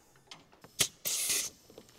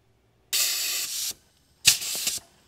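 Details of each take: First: 1977 Cadillac Eldorado engine that clatters, especially on start, with metal shavings in the oil and heavy coolant loss: a sharp burst of hissing air in a leak-down test at TDC shows almost 100% leakage into the crankcase, suspected worn piston rings. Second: 1977 Cadillac Eldorado V8 with suspected engine damage (clatter on start, metal shavings in oil, coolant loss), leak-down test: two short thin air hisses from the cylinder, only about 10% leakage; cylinder sealing well.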